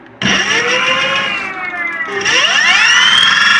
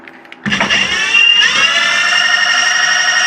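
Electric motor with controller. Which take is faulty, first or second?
first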